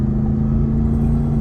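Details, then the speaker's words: Ram TRX with a supercharged V8 climbing a hill under load: a deep V8 rumble with a steady whine riding on top. This is the normal supercharger whine under acceleration. "but here we are in the Ram TRX getting up the hill here with this big old V8 supercharged motor."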